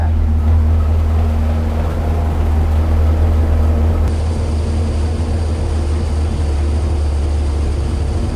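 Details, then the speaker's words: Numbers-matching 440 Magnum U-code V8 in a 1970 Dodge Charger R/T on the dyno, ported heads, exhaust manifolds, bored 30 over, forged pistons, original six-pack rods; deep, even rumble at steady idle after RPM brought down, no knocks, ticks or misses: normal idle. "I'm gonna bring down the RPM. That's your idle. That could be your idle."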